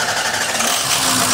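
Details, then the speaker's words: Ford 6.0 Powerstroke (2004-2007) after driver-side dummy plug and stand pipe replacement, started after buzz tests to bleed high-pressure oil air: short even diesel clatter with no skips or misses; normal idle. "here it is is the pressure truck is running no Miss pretty good"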